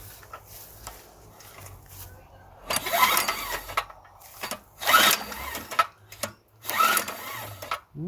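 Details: Small two-inch petrol water pump, plug showing it ran rich: three rough whooshing pull-overs about two seconds apart, never firing; cranks but no start, no spark seen, low-oil switch or stop wire suspected.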